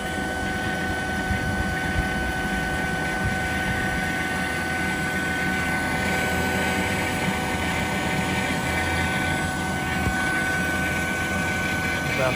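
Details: Vacuum pump evacuating a new R448A walk-in flower cooler system after a fresh oil change: steady, even hum with a constant faint whine and no knocking, surging or grinding; pump runs smoothly.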